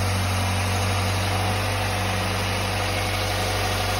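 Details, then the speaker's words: 2008 Hyundai Elantra idling with A/C on after replacing the A/C belt; belts run smooth with a steady low hum, even beat and no chirp or squeal; normal belt drive. "yep belts are running on there nice and smooth"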